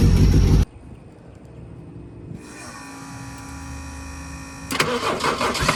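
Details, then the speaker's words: First start of a turbo Mazda RX-7 after a week of rewiring: starter whir, then the rotary catches and settles into a lumpy, uneven, tractor-like idle, running but untuned. "we got it and I mean y'all just heard it sounds like a tractor but we got it"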